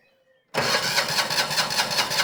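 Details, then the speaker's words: Single-cylinder diesel engine on a Winget mixer that has stood unused for a couple of years: the starter turns it at an even rate, about four a second, but it never fires. No diesel reaches the injector, and the owner suspects the pump is sticking. "She's spinning over pretty well."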